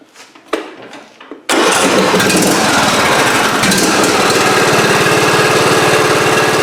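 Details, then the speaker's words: John Deere residential riding mower after oil change and spark plug reinstall: a few clicks, then it catches at once and settles into an even, steady single-cylinder run to circulate oil; normal start and idle. "You just want to start it up and we'll just run it for a little bit so the oil can circulate through the system, fill up the oil filter, we'll turn it off and recheck the oil level."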